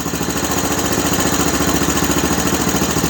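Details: Honda TRX-250 Recon ATV running during charging check, about 13 V at idle, up to 14 V revved: steady, even single-cylinder putter with regular beat, no knocks or misses; normal idle, charging system working.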